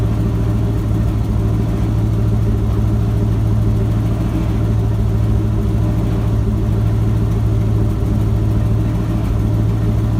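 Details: Ford F-250 with a 7.5L 460 big-block V8 after replacing the starter bypass solenoid for a no-crank, no-start. Deep, steady burble at idle, even and unbroken throughout; starts and idles normally.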